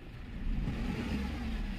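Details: Renault Kwid petrol engine, previously cranking but not starting, running again after its spark plugs were found to be the main problem: it picks up smoothly and holds a steady rev with no misses or stumbles, revving normally.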